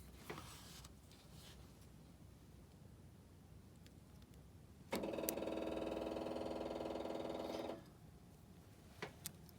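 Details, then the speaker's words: 6.5 diesel with the oil pressure switch connector unplugged and jumpered across its two opposite pins: steady electric buzz for about three seconds that stops cleanly. Lift pump runs, so the oil pressure switch is suspected of not passing 12 volts. "so you can hear that lift pump running so safely assume and it's probably your oil pressure switch it's not letting that 12 volts get to the pump"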